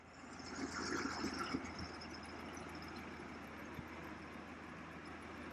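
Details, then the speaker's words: 1978 Corvette C3 V8 project car, off the road 10 to 15 years, idling with the hood open at the end of a 75-day revival: quiet, even idle with a soft steady beat, no knocks or misses; running like a top. "Pop the hood and it is running like a top today. It is running good."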